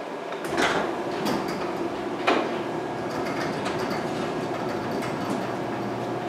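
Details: After DIY garage door repairs, the door opens with the opener motor droning steadily, only a couple of light clicks early and no more banging where it used to bang; hinges may need a little lube.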